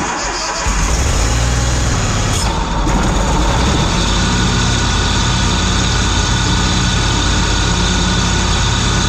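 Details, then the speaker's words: Ferris ISX 3300 mower after replacing a seized idler pulley whose bearing had burned up the deck belt: the engine starts and runs steadily, with no clanking or grinding from the deck. Normal after the repair. "you can see I turned it on there's no sound of anything coming from the deck clanking or grinding it's very smooth"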